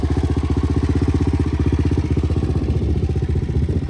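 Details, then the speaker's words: 2003 Suzuki LT-Z400 single-cylinder, ridden hard with sprockets changed for more low end: hard metallic clank on every beat at idle, about four per second, getting loud; valve clearances checked within spec, owner suspects deteriorating valves, head going for machining. "mine is starting to Clank really really bad here's what this bike sounds like now um it's getting pretty loud"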